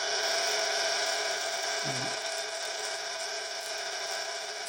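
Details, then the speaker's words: 1930s Carl Haider violet ray machine with flat general-purpose skin electrode: strong steady crackling high-pitched buzz, glowing and making ozone; discharging properly, replaced capacitor has energized it probably too much. "wow got quite a fight quite a bite it's generating a bit of ozone as well i think the um changing the capacitor over has really energized it probably too much"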